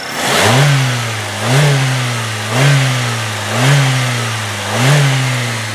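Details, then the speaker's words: 1998 Saturn SL1 with 126,972 miles: five quick revs, about one per second, rising smoothly to the rev limiter and falling back cleanly, with no high-rev knocks and no valve train or lifter noise, healthy engine. "And now, as you could hear, it sounds perfect. There's no high rev knocks. I revved it as high as the rev limiter would let me."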